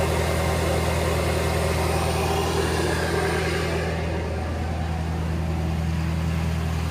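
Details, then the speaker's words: 2011 Ford F-350 6.7 Power Stroke diesel, high idle wired with 20k resistor, in neutral with parking brake on; even steady clatter around 1200 rpm, no hunting or misses: normal high idle. "the 20k gives it about about 1200 rpm or so"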